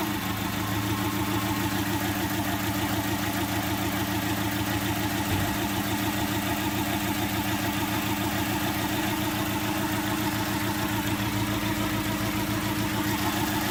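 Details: Daewoo Kalos 1.2i with a faulty ignition coil: the idle has a steady lumpy stumble, roughly three beats per second, that never smooths out. It runs on only three cylinders, with the fourth misfiring.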